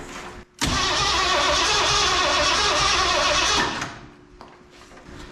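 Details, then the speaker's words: Ford 302 V8 with AOD transmission swapped into a 1968 Chevy C10: starter spins the engine briskly for about three seconds with no firing; cranks but won't start, spark tester shows no spark. "okay so all right so let's see if my spark tester [Music] says the coil is fine [Music] no spot okay okay so uh we don't have any spa"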